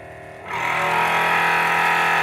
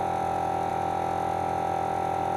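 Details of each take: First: Forward FW 361+ hot plate separation vacuum pump, before repair: it is quiet without a device on top, but once suction is applied it drones at roughly 100 dB with a steady buzzing rattle. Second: Forward FW 361+ hot plate separation machine, after repair: the vacuum pump runs with a steady, even hum and a strong high tone, with no rattle or knocking.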